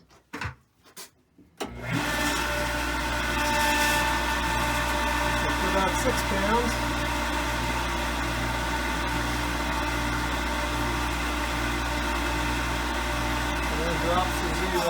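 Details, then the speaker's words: Lodge water-system pump, reinstalled after its frozen impellers were freed, drawing up a long pipe from the lake: steady motor hum with a pulsing low throb about twice a second and a thin sucking sound; still pulling too much air and not building pressure. "sound when it's actually trying to draw water so it's trying to draw but there's still too much air in it"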